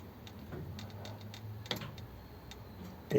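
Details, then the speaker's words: 1932 two-door sedan overdrive after switch repair: quiet light ticking, then one soft clunk as the relay and solenoid drop out normally when shifted out of gear and the gearbox switch loses contact. "loses it because of the loss of contact on that switch it's a pretty clever setup because it'll come out when you give it a second secondary contact like that"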